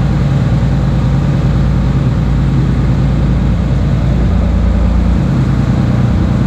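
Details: Six-cylinder Iveco turbo diesel fitted into a 1942 M3 Stuart tank, first test firing with no exhaust system fitted: loud, deep, steady unmuffled rumble, running evenly.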